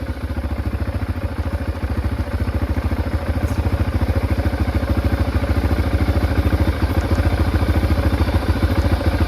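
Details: 2005 Can-Am DS650 quad, bought for $1000, on a test ride: steady, even single-cylinder thump about 200 beats a minute under light riding load, no knocks or misses; runs clean, though less powerful than expected with its restricted muffler.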